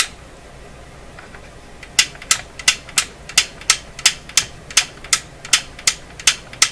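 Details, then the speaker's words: Canadian RCA Victor Model 5T5 radio after final fixes: crisp, even switch clicks about three per second. The late click heard before is absent; the switch is snapping over properly. "so I'm listening for is when I operate the switch that click comes late that's what I'm listening for I don't hear that certainly heard it before"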